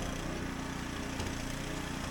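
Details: Husqvarna ST124 snowblower, 212cc single-cylinder, after cleaning the carburettor governor jet that caused surging and popping: steady even beat at governed speed while blowing snow, no surging or hunting; healthy.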